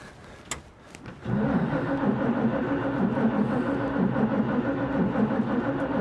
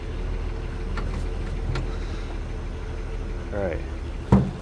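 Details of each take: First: 1941 Chevy on freshly rebuilt Carter W-1 carburetor, cold garage, battery recently charged, gas poured in throat; starter churns steadily with slow compression pulses, no firing at all: cranks but no start. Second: 1941 Chevy on rebuilt Carter W-1 carburetor, in neutral; low steady idle running on its own with one sharp pop, possibly no accelerator pump: normal idle.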